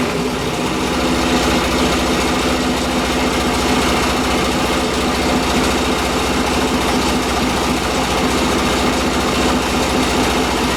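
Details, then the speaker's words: Yamaha XS650 twin, freshly rebuilt engine; flooding cured by draining the carb bowl, ignition was slightly advanced: steady, even idle with consistent beat, no ticking or misfire; runs fine, no issues; normal idle. "And yeah, the ignition was a little bit advanced, so now when you start it up, it runs just fine. There's no issues at all."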